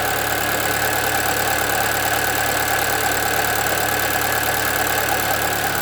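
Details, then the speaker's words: 2013 Chevrolet Celta 1.0 at idle: rough droning with a steady whine and faint irregular rattle at the front of the engine, getting worse; timing belt replaced at 50,000 km without fixing it, and the owner suspects the water pump, which has slight play. "Olá pessoal, vou mostrar para vocês no vídeo hoje o barulho que o meu Celta faz na frente do motor. Achei que era correia dentada, troquei, mas não resolveu não."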